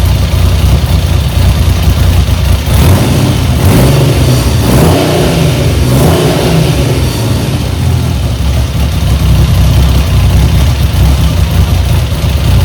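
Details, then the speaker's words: 1975 Triumph Trident T160 triple after full rebuild, first runs, no exhaust smoke: revs rise and fall then settle to a low, uneven tickover ready to stall once choke is off; idle speed set too low, needs raising via throttle rod. "all right needs more uh tick over as soon as i take the soon as i take the choke off then it's uh faltering i need to turn the tick over up a bit"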